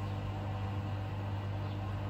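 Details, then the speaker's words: Bosch Serie 4 washing machine, new, draining after the wash before the rinse cycle: drain pump pumping out water, quiet, steady low hum with a faint whir and no rattle or grinding. Normal, healthy drain pump. "came the the pump pumping out the water it's pretty quiet as well"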